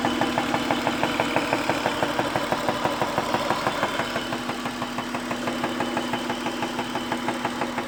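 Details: Acura at steady idle with a crisp, regular light tick about three times a second over the engine hum; source of the tick unconfirmed; engine ticking at idle.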